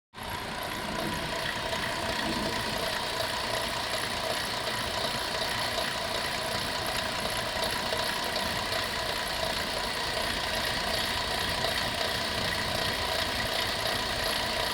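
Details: 2004 Chrysler Town and Country 3.3 idling with a steady busy metallic rattle about two to three times a second; stethoscope traced it to the alternator, which was replaced along with the idler and tensioner pulleys.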